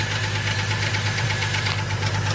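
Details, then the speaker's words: Idling petrol engine with a quick, even ticking over the hum, likened to misfiring: valve lifter tick from low engine oil, before topping up with 5W-30. "can hear the noise like kind of misfiring that means that it's the valve lifters"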